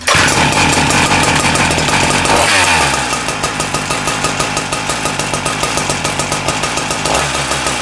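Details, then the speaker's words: Husqvarna K970 concrete saw after its no-compression engine was rebuilt/replaced: revs high, then settles to a steady, even idle with no misses or knocks. The engine runs well; worn clutch drum bearings were noted afterwards. "oh so we got the engine going good now the engine really good"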